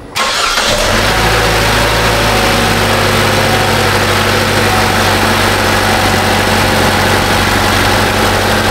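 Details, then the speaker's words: 2018 Chevrolet Trax 1.4 L turbo, after water pump replacement and coolant fill and bleed: it cranks, catches quickly and settles into a steady, even idle with no misses, knocks or squeals. Normal start and idle. "they have folks water pump on your 2018 chevrolet with the big luv 1.4 liter turbo that's the sound they make not a bad job"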